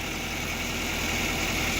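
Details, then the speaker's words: 2005 Nissan Altima, about 269,000 miles, previously wouldn't start; after cleaning intake sensor, new filter, sand cleared from intake manifold, oil top-up: smooth even hum with light airy hiss, no misses or knocks, engine light off; normal idle. "Well, works excellent. I think it's worked like a charm."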